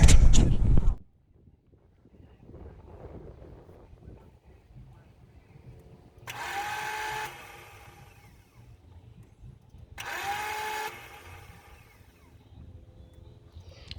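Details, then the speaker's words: BMW E28 failed start: two short bursts of high whirring spin with no engine turnover; the rebuilt starter spins but does not engage the flywheel, wiring confirmed live; owner suspects the starter. "So as you can hear, it's making that weird like grinding noise. So like I said earlier, starter's not engaging on the flywheel."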